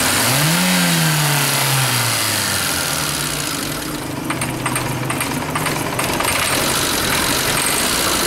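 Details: Light metallic rattle of quick ticks over idle after the engine catches and settles; engine knocking, cause not apparent.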